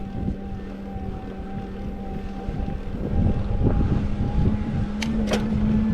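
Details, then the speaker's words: SixThreeZero EVRYjourney 500W rear hub motor cruiser e-bike climbing a steep section on pedal assist at about 7.5 mph: a steady low hum with a faint even whine and no grinding or clicking, so the motor sounds healthy. "and I'll let you listen to the motor now so you can hear the difference between pedaling and throttle and we'll see how it does up this next steep"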